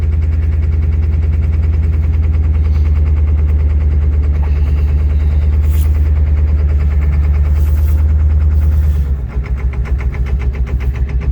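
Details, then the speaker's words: Ford 7.3 diesel truck cold start, not plugged in, parked outdoors: heavy loping rumble with uneven pulses that falters; owner suspects gelled fuel, plans to add additive and use high idle. "acts like the fuel's gelled up on it or something. I put $40 in it before I parked it. That sounds exactly like gelled fuel."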